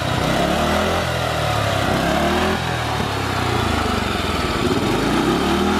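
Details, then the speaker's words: Murray lawnmower, small single-cylinder engine, revving up and down, sagging and nearly dying each time the throttle is released; carburetor adjustment later got it running much better. "Hear it there, the engine dying a little bit when letting off the gas."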